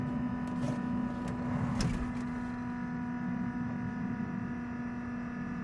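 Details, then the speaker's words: Piper Cherokee after shutdown with master switch off: steady whirring tone with overtones slowly fading, no engine behind it; normal gyros winding down. "that sound that you're hearing it's slowly going away it's winding down what it is it is actually your gyros that are winding down"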